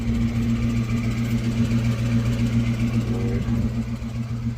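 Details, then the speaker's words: 2000 Ford Mustang GT, abandoned, just after transmission install and first start: steady idle with droning hum and rough rattling whir underneath; something abnormal underneath, cause unconfirmed. "oh god listen to that well something's not right down there"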